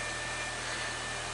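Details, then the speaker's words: 2016 Nissan Versa, 140,000 miles, after spark plugs, air filter, throttle body cleaning and relearn: steady even idle around 700–800 rpm, low hum under some hiss, no misses or knocks; normal idle. "okay so idle's looking good it's about 800 rpm 7 800 which is about where it should be running smooth as a top"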